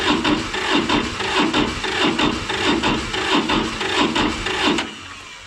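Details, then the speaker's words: Massey Ferguson 205-4, 1.1L Toyosha S107 two-cylinder diesel that starts hard cold: heavy cranking beats about 1.5 per second, labouring and never catching before starter stops; owner suspects tired battery. "sounds like the battery's wearing down a little bit I might have to jump start it"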